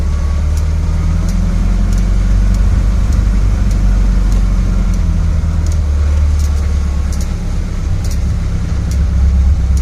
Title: Clicking noise